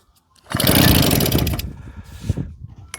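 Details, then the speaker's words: JAP 36cc two-stroke engine coupled to a Stuart water pump, after a carb strip and clean; spark and fuel are reportedly present. A short pull-over burst dies into uneven coasting thumps with no firing: it cranks but won't start. "For some reason, she has got no interest in running, has it? No, she's not even trying to fire."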